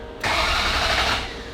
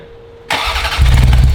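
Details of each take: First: Ferrari 348 after engine-out timing belt major service, first start attempt: starter spins the engine evenly with ignition coils disconnected to build oil pressure, no firing. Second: Ferrari 348 after engine-out timing belt major service, crank no start: starter churns about a second and stops, never firing. Fuel smell, computer being connected; cause not confirmed.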